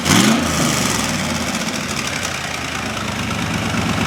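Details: 1972 Corvette with fuel-injected LS swap and custom tuned side-pipe exhaust, mic close to the pipes, engine warming up: steady, even idle burble with slightly lumpy tuned-exhaust edge, no misses or knocks; normal idle.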